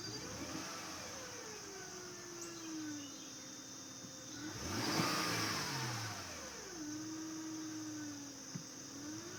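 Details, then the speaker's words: 2005 Acura RL, 166K miles, timing belt and water pump replaced at 101K: high-pitched whine at idle rising toward 2500 rpm from accessory drive, unaffected by AC or steering; owner suspects alternator, water pump or pulley. "so it's coming from the area where all the alternator and the belt and the air conditioning that whole assembly there"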